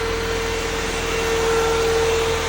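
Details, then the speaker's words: Mini Cooper S R50/R53 idling with a wire unplugged and a weak battery: a steady high whoosh with a fixed tone over a quiet idle. The coolant fan runs constantly on high speed; owner suspects an AC pressure sensor fault. "it's going there high speed if I disconnect this it goes down a little bit"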